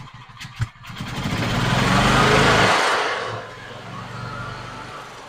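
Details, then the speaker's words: 2012 EZGO TXT golf cart gas engine, previously no-start, after new carb and fuel pump, on choke: sputters, then surges and sags unevenly running rough cold; owner suspects too much choke or needing adjustment. "come on oh well it runs now not very good let it warm up"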